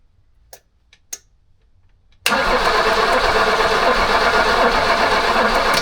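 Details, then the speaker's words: Abandoned BMW E21 that sat for years, brake cleaner sprayed into the carburetor: after a few clicks the starter turns slowly and laboriously, under three turns a second, and never catches; old battery dying, slow cranking. "Battery's going out. You can hear that. Battery's going to die, bro. >> All right, so the old battery actually gave out on us."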